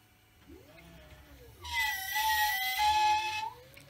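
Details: Creality CR-10 S5 3D printer: high whiny squeals bending with moving print head, V-slot carriage wheels too tight, noise grew louder over time.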